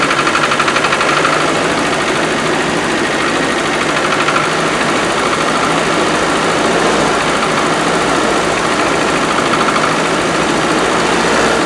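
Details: "90" vehicle unused for four years, cold start after a new coil and fresh fuel: a fast light ticking rattle over an uneven idle, probably noisy tappets.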